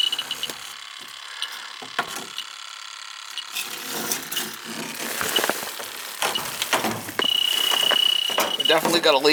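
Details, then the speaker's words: AC evaporator coil with a bad leak, later replaced, probed with a refrigerant leak detector: quiet handling, then a continuous high alarm tone at the coil, worse than the few hits at the condensing unit; leak detector alarm. "recoil i got a couple of hits out on a condensing unit but this up here is a lot worse hear it yeah this sense is the refrigerant leak you know"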